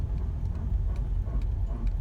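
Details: 2003 Toyota Corolla with new front brake rotors, still making a rubbery noise: faint regular ticking about twice a second over low road rumble while braking. Cause unknown, unresolved by shops.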